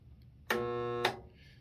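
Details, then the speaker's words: Old Craftsman table saw motor energised at switch-on: about half a second of steady low electrical hum with no spin-up, motor not turning; motor hums but won't start. "so this is what it sounds like when we try to turn it on can you hear that hum and it's not going around"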